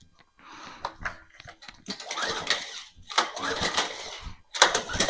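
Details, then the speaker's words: Craftsman lawn edger/trencher unused for over five years, turned over before fueling: uneven bursts of turning over with no knocking, scraping or grinding; normal cranking, engine spins freely. "I don't hear any bad noises. So I guess I'm just going to put some fuel in it and see if it'll start."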